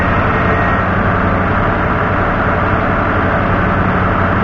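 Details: 1988 Ford F-150 idling after the fuel system was reprimed, with a MAP-sensor code showing and oil pressure holding about 55–60 psi: steady, even low rumble with no knocks, ticks or misses; it idles smoothly and sounds healthy.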